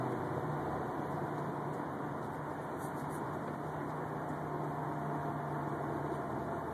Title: Unknown whining noise 2